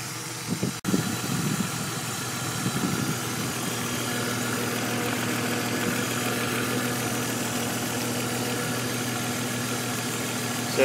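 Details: BMW E46 330i turbo at idle. A light, quick tick over a steady hum appears once the oil warms and was present before the turbo conversion. Lifters were replaced two years ago without helping; owner suspects a valve problem. Cause unconfirmed.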